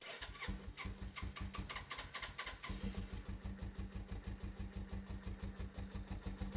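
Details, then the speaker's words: Suzuki GS500 twin, unridden for a few years, at tick-over during a service: uneven lopsided idle about three pulses a second on one cylinder; heat gun reads 150° left and 56 right, so the right isn't firing at tick-over. "though sounds like it's running on one cylinder so we get our little heat gun to the temperature of that left cylinder 150° temperature to the right one one bit lower yeah look it's only 56 so not really running on that cylinder"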